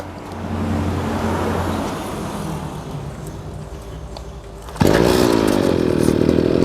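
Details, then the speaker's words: Used two-stroke brush cutter, genuine Mitsubishi engine, government auction unit: starts easily on the pull and settles into a steady high buzzing run, revs well, no misfire or rattle. "ติดง่ายนะครับตัวนี้เป็น2จังหวะนะครับ"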